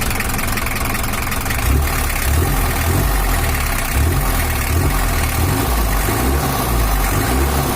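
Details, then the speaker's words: Toyota Hiace LH11 diesel after repair for overheating and rough running, larger cooling fan fitted: steady, low idle with an even beat, no knocks or misses; sound back to normal though reportedly not fully settled yet. "ini udah selesai baru suaranya usah kembali normal Karena untuk sepuran nya masih belum rata seutuhnya"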